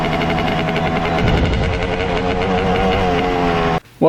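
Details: 1995 Honda CR250 two-stroke: revs and climbs unevenly, hesitating before it pulls, then cuts out. Bog persists; power valves, reeds and manifold ruled out, cause not yet found.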